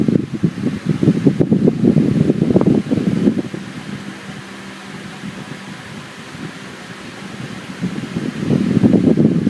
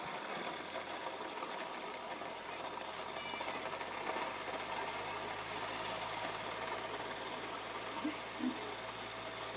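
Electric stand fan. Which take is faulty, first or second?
second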